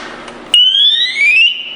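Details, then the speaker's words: Scott air pack (SCBA) during maintenance check, new cylinder slid in and connected: a sharp click, then two bright ascending tones rise together for about a second; cylinder connected properly. "we have our ascending tones and we know that his has been properly connected"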